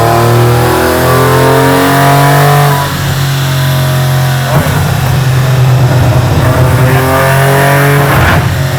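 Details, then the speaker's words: Aston Martin V12-swapped Foxbody Mustang on the dyno, warm, full-throttle pull: loud high-revving V12 abruptly falls flat and stumbles twice in a few seconds. Suspected soft limiter or safety cut in the tune, not confirmed. "All right, so the Mustang is hitting like kind of a brick wall in the tune anytime he's full throttle. If he's trying to like power through it and whatever, you can hear it."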